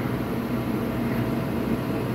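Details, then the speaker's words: Kaeser 5 HP three-phase rotary screw compressor run from single-phase input through a VFD, at 60 Hz, loaded and building air: steady, even drone with a smooth low hum, no knocks or squeals; normal loaded running. "now it's compressing building air this is just right at 60 Hertz like it would off of our regular three-phase line power"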